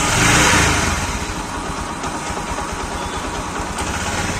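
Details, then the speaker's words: Bajaj Platina single-cylinder motorcycle after repair of engine knocking (camshaft/rocker checked; earlier blamed on crank bearing): self-start, brief rev then even, steady idle with no knocking; noise fully gone, normal idle. "तो गाड़ी के अंदर जो engine के अंदर sound आ रही थी ना वह पूरी तरीके से खत्म हो गई है"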